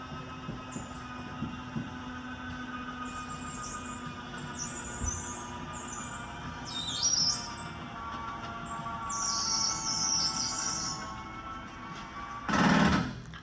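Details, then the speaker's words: RV slide-out cycling: repeated high-pitched squeaks over a low motor hum. The slide has not been lubricated in years. "now you hear how bad this is that is a slide that has not been lubed in years"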